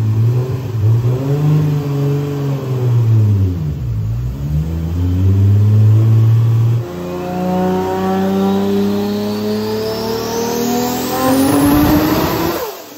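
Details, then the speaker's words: Rat Rod Supra on the dyno running the original saved tune: the engine pulls up through the revs but stumbles and dips unevenly under boost, even worse than before. Not a tune issue; misfire under boost. "tunea well even worse on that one not a tune there not a tune thing"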